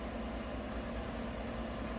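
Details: 2018 GMC 5.3 V8 truck at idle in closed loop, with the reinstalled bank 1 sensor 1 switching normally; it had run rough and misfired on bank 1, traced to a faulty front O2 sensor. Low, smooth, even idle with no misses or knocks.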